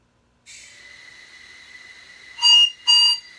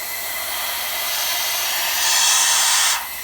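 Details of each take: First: LBSC Tich model locomotive on air after fixing whistle valve: soft air hiss then two clean high-pitched whistle blasts about half a second each, valve opening and shutting crisply; normal whistle. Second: LBSC Tich model steam locomotive running on compressed air: steady hiss of air rushing out the exhaust, swelling for a second even with the throttle closed; valve timing is off.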